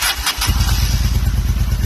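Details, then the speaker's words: 2005 Honda Shadow 750 dual-carburetor V-twin with idle misfire, power loss under load, running only on choke: lumpy idle with a brief hiss; OEM intake boot clamps not clamping, causing vacuum leaks at top and bottom boots. "So, now that we're here, it looks like these OEM clamps were not clamping at all. They were maxing out and then just sliding around the boot, spinning still, causing a nice little vacuum leak at the top and the bottom cuz our boots"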